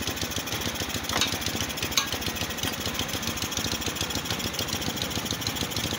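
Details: Motorstar Easy Ride 150 after auto choke fix: vent hole covered and auto choke refitted; earlier had no idle, high idle then sudden stalling, heavy fuel use. Quick even single-cylinder putter holds steady without hunting or dying; idle now steady.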